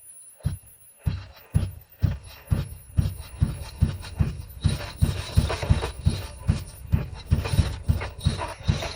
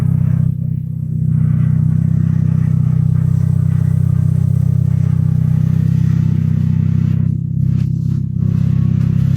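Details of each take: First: Third-generation (1986–1989) Honda Accord abandoned for years; blown fuse replaced and all pistons renewed. Slow, even cranking (about two beats a second) sprayed with ether: it showed signs of starting at first, then grew less likely. It cranks but won't start; owner suspects a piston issue. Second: Third-generation Honda Accord (1986–1989) abandoned for years, after engine revival and fresh oil: deep steady even rumble with no knocks, misses or squeals; normal running.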